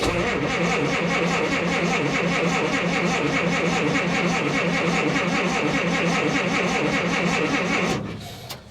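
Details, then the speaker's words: Willys in rainy, damp weather, with a broken choke cable; it cranked fine the other day without choke. Steady rhythmic starter churning, about three and a half beats a second, that never catches: cranks but won't start. "see if we can't choke it real quick see if we can't get her to crank she crank real quick the other day it has been raining excessive amount"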